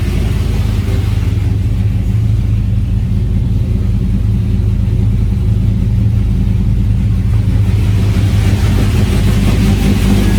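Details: Engine running with a steady, even low rumble at constant speed with no misses, knocks or squeals, running healthy.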